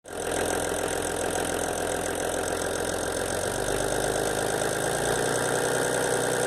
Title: VW LT 28, Motor S1 Motorgeräusch (Vakuumpumpe)